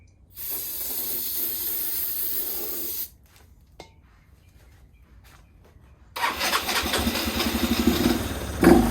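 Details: 2014 Yamaha Zuma 125cc scooter stored since 2017, fresh fuel plus starter fluid: brief ragged catch for a few seconds that dies out, then another short sputtering try.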